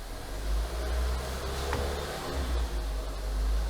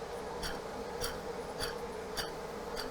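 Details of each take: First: 2018 Renault Duster, H4M 1.6 16V, 45,812 km, whistle from about 1700 rpm, after replacing the elastic alternator belt: warmed engine revved to about 1750 rpm, quiet smooth idle and climb with no whine or whistle. Normal revving. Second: Renault Duster H4M 1.6 16V, about 40-45k km, whistle especially above 1700 rpm, low antifreeze and old dried leak: removed water pump gives a rough buzzing whir with a sharp tick every ~0.6 s, a worn bearing.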